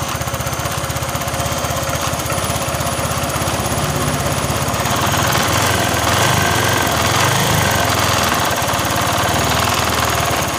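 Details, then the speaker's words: Honda Vario Techno 125/150 scooter after replacing the cam chain tensioner under the throttle body: even, quick putter about four beats a second with no metallic cam chain rattle as revs rise slightly; the noise is gone, normal idle. "dan masalah bunyi ini sudah sembuh tapi motornya memang kurang jos ya suaranya seperti ini suaranya hilang ya"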